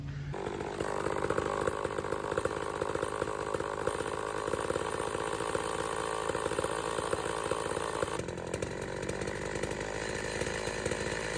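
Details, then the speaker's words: Homelite XL-113 chainsaw warmed up: idle drops, then rises when the saw is tilted and plunges when pointed down, suspected crankcase air leak (crank seals to be replaced); uneven idle before the engine dies. "So after it warms up a bit, idle kind of drops down. When you tilt it this way, well, I guess both ways, idle's kind of going up. Usually that indicates there's a little bit of an air leak."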